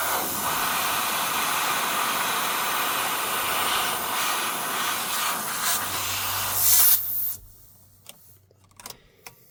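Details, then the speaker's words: Truck after re-piping the differential lock air feed under the dashboard: loud, steady rush of escaping air for about seven seconds, then cuts off, as an air line blows off a fitting not screwed down to crush the olive. "Then I noticed that I hadn't screwed it down. So I screwed it on but I hadn't screwed it down for the olive to crush."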